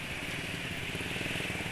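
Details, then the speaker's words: Two-stroke motorcycle engine on Evalube 2T oil, road test: even, crisp buzz at steady revs with no rattle or misfire, smoother than with Eneos molybdenum oil which sounded rough; normal running. "pi ini suaranya halus beda dengan Ketika pakai eneos molybdenum yang suaranya kasar"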